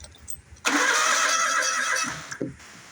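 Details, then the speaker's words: Bobcat zero-turn mower with the wire reconnected; starter cranks steadily about one and a half seconds with no firing; crank no start, no spark. "so I hooked that wire back up turn the key here and we're back to our no spark issue"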